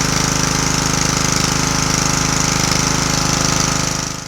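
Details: Snuba dive-rig compressor, started with choke on after storage on the first pull: steady, quick single-cylinder chug with an even beat and a clean compressor pulse, building pressure; runs healthy.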